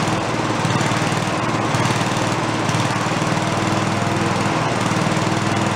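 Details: Late-70s/early-80s garage-sale Giant Vac walk-behind leaf blower, primed: high steady two-stroke buzz at full throttle without sputtering or dropouts, pulling hard; carb lacks an idle circuit.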